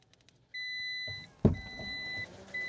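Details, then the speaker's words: 2024 Dodge Charger Daytona EV on day 4 of ownership, unresponsive to app and key fob: silence, then steady high chimes and a relay clunk as the car briefly wakes on a booster; the 12-volt battery is fully depleted. "So clearly it's purely running off this fully depleted 12-volt battery."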